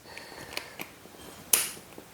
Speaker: as long as we can move it like Smooth like that no clicking we should find out which number it's jump to oh it's click again